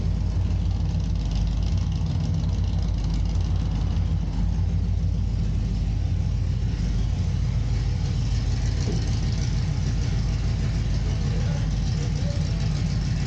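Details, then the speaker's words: Volvo semi truck after a vacuum leak was fixed: deep, steady idle rumble with no hiss, stumble or misses, sounding like a different cam; smooth, healthy idle. "Since we fixed that vacuum leak, this thing really sounds like it's got a different camera."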